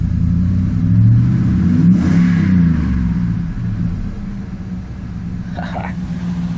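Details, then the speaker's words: Ford F-150 cold start: deep, smooth exhaust rumble swelling on a rev then settling, no rattle or drone; a non-performance muffler judged fine for daily driving. "Sounds good to me. I mean, it's no performance or racing muffler, but for daily driving, it's just right. No drone and uh it's not like annoying rattling in your ear going down the highway."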